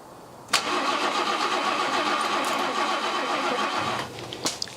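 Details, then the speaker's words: 1979 BMW E12 520 barn find, first start in 30 years on its own fuel supply, rear up on ramps: steady cranking near four turns a second for about 3.5 seconds, never fires. No fuel reaching the carb; owner suspects the raised rear. "jump a pack on let's try again no there's no fuel getting to the carb so why is that"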